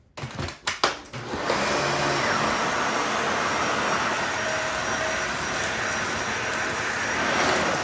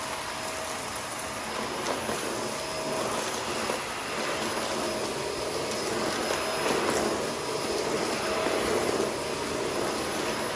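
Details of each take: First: Dyson vacuum on hard floor, repeat pass: a few handling knocks, then steady, even high whoosh with no surging or choking; performs normally, debris goes to the bin, pre-motor filter protecting motor. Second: Shark Rotator NV520 vacuum on hard floor, brush roll off, sweeping up a spread-out test mess with empty bin, clean shroud and tapped-out filters: steady shrill, strained motor whine over rushing air; filter found completely clogged afterwards.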